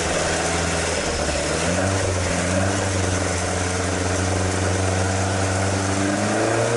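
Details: Toyota AE86 with 4AG engine after exhaust leak repair, stock exhaust sound: steady even low idle burble, clean unbroken tone with slight rise at end; no leak puffing, healthy.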